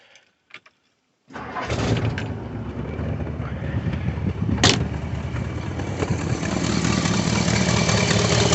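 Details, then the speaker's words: 1961 Ford Thunderbird V8, factory-original engine with ported vacuum advance, cranks, catches and settles into a lumpy idle with a raspy puffing tick from its many exhaust leaks. "now this does have a lot of exhaust leaks so you're going to hear them without a doubt"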